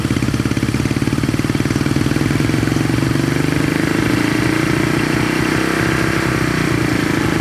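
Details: 1970 Honda SL350 twin at normal idle on first start, fuel poured down plug holes and carb leaking gas; quick, even pulses with a touch of throttle midway, running cleanly and steadily with no misses.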